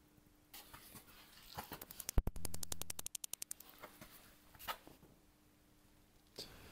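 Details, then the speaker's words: BMW parking sensor with ignition on, in reverse, ear against the bumper: rapid even burst of sharp clicks, about a dozen in under a second, showing the sensors work; a fault is then likely a clogged sensor. "if you can hear all the sensors working and clicking that means none of them are bad and it's most likely that one of them is just clogged up"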